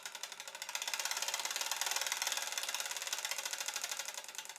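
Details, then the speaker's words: Stuart 7A model steam plant pump on live steam after new gaskets on the steam cylinder and valve chest end, no water in the tank, run deliberately very fast: rapid even clicking strokes, about three a second, light metallic chatter; normal running. "and yes this one works at warp speed as well i have to say that these small steer pumps are really difficult and very fiddly to make them run properly but once they do they tend to run like that for quite a long time"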